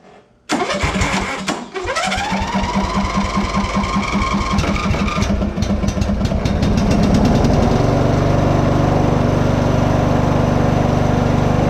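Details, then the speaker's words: Free Simplicity riding lawn tractor after a new fuel filter and fresh gas. It cranks briefly, catches within a second and settles into a steady, even low idle with no knocks or misses. Normal start and idle. "hmm now it's time to go on a test drive break down key doesn't sound too bad for free if you ask me"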